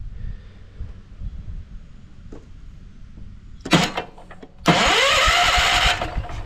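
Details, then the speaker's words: 1968 John Deere 140 garden tractor with points-and-condenser ignition: two bursts of starter whirring with no firing; cranks but won't start, no spark found, owner suspects dirty points exposed to the elements. "No spark. Okay, so I know just the thing to check. These do have points and condensers. So, we could have some dirty points."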